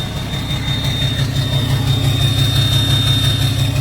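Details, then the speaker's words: 2017 (possibly 2020) 6.7 Cummins diesel hotshot truck idling in park: a steady, lopsided beat with about three uneven stumbles a second from a dead cylinder. The miss is worse in gear or under load, there is no blow-by, and an injector failed. "Really noticeable when you put it in park or in drive or reverse. Put a load on it. So this is park. You can really hear it there."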